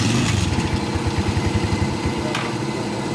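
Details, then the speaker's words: Rusi 125/150/175 motorcycle after stator/new regulator check, running without its fuse: small single thumps at a slow, slightly uneven, low idle needing a tune-up, but starts and keeps running; normal idle. "So yan umandar na siya iri natin. So umandar siya kahit wala siyang fuse."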